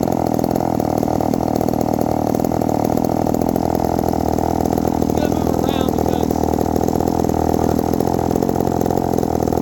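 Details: 1972 Remington two-stroke chainsaw after the idle screw was adjusted; an even, steady idle that holds without hunting or dying. It is idling cleanly.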